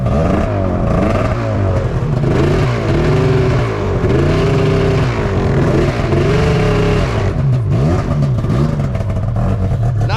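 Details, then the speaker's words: 2005 Arctic Cat Firecat F6 snowmobile, first start after sitting all year: revs rise and fall in repeated swells without the track driving, and it may stall. Sticking primary clutch, which needs servicing. "yet that's problem number one clutches stick in it'll do that forever if I put it down it'll either go ahead in this case it'll probably just stall out"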